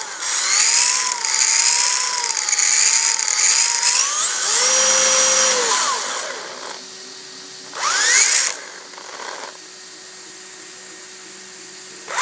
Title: DRB Gear sound issue